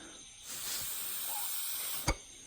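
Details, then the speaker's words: Old canister purge valve solenoid from a 2005-2010 Pontiac G6 2.4 Ecotec, air blown through it: a steady airy hiss. The valve leaks, and it caused surging after refueling; it should be replaced. "But the best way to know if yours is bad, if you're not sure, you shouldn't be able to blow through it. And here's the old one, but as you can see, you can hear it plain as day in the video probably."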